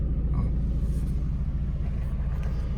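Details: VW Caddy 1.9 TDI diesel warmed to about 70°C after fixing a faulty sensor that was backing out: low even idle rumble with no stumbles or knocks; running properly after repair.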